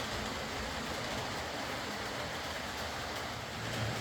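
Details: Old Lima Class 40 model locomotive in BR green, originally dead with front bogie issues, now running on a completely replaced motorised chassis; quiet, even motor whirr over steady rail rumble, no stutters or knocks, running smoothly.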